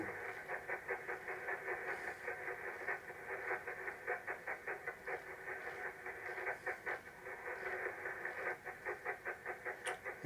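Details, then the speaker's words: Radio receiver in the ham shack: hiss chopped by an uneven buzzing pulse about 100 a minute, like a steam train; interference from a nearby soldering iron. "Noises. Oh, it could be me soldering iron. There you go. Me soldering iron, guys."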